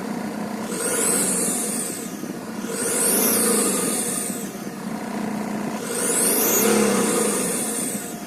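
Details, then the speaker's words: 2001 Saab 9-3 2.2 turbodiesel, 125 hp, just fitted with a used turbocharger: a loud, high whistle that climbs and fades with each rev and is audible inside the car; the turbo will likely be replaced. "Теперь вот после замены у нас вот такая вот проблемка с ней. Турбинка издает жесточайший свист. Даже можно услышать в машине."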